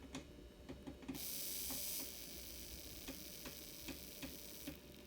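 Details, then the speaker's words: Old N scale Atlas/Rivarossi 2-8-2 Mikado locomotive, tender pickup wiring re-soldered, running at lowered voltage before lubrication: quiet, light ticking a few times a second as it creeps along slowly; normal slow running. "actually runs very good I'm gonna lower my voltage there see what we got"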